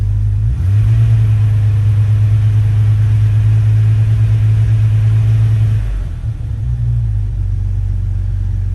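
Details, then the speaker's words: Jeep WJ 4.0 after rebuilding the throttle body with an A012 O-ring to fix a shaft air leak (lean code): deep steady idle hum easing lower and settling smoothly without hunting; previously very rough, now stable, not yet road-tested. "so i'll have to have to drive it but definitely does seem to be stable now"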